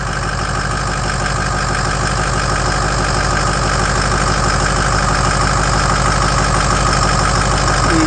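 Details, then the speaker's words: 6.0 Power Stroke diesel just after #8 fuel injector replacement: steady, even idle with a regular low rumble and no miss; the previous miss is gone and exhaust pulses are smooth. "Yeah, that is sounding way, way better. Yeah, and the exhaust is blowing out perfectly smooth."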